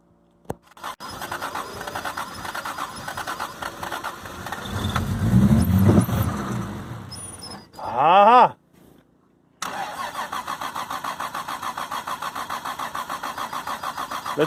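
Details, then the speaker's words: 1997 anniversary edition Toyota Supra, single-turbo conversion with swapped engine and no original ECM, MAF or O2 sensors, sitting almost 10 years: steady starter churning, four to five pulses a second, crank-no-start; years-old gas suspected, fresh gas planned. "put some fresh gas. That gas is in there for years, man."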